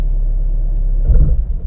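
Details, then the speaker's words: GM 6T40 transmission (P0742, stalling when coming to a stop) after a new solenoid valve body and TCM, running the drive calibration relearn. Steady engine rumble swells and dips as idle rpm changes during the test; normal. "do this thing you know hear it changing idle or changing RPMs as it's testing everything"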